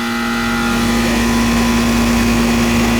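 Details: Home AC outdoor condenser unit after restart and wash-down, house not cooling, owner may have had thermostat off or on heat: steady even compressor hum with smooth fan rush, no rattles or clicks. Normal running.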